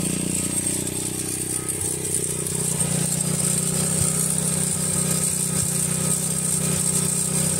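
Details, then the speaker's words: Grom just fitted with a Nibbi carb and KL-48-WT 40 mm air filter, stock fuel screws, choke off: fast, buzzy single idling high and erratic with a slight hunt; owner suspects it needs a smaller slow jet. "that's erratic right there that's a little high"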